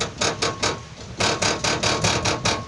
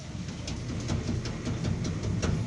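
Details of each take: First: Car underbody plate struck: sharp metallic rattles in quick bursts that mimic shock absorber, control arm or ball joint noise; loose skid plate bolt. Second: Car skid plate after its bolts were tightened: repeated dull knocks, each a single solid thud with no buzzing rattle afterward; the suspension rattle was gone.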